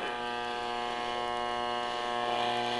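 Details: Philco 38-116 radio on the bench after repair, powered through a variac and isolation transformer at 115 V drawing about 1.1 A: a steady low buzzing hum runs evenly under the radio, its source unconfirmed.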